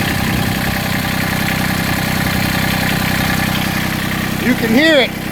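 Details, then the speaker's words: Massey Ferguson GC1710 TLB sub-compact tractor diesel idling rough with an uneven, lumpy clatter, heavy vibration and power cut almost in half; owner suspects a cylinder misfiring or not firing, checked with an infrared thermometer. "and it's I mean it's more than that I mean my power has been cut almost in half it feels like um I mean you you have to idle this thing up just get to lift the bucket or to drive"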